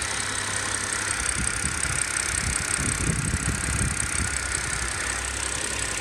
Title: E90 330i bad engine noise after fast 30 minute drive